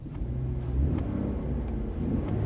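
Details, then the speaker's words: Auction car with small V6, brief light rev after checking reverse and drive: low smooth rumble swells and settles, no ticking or knocking, no dash warning lights; engine sounds healthy. "I mean it sounds great no warning lights on the dash at all"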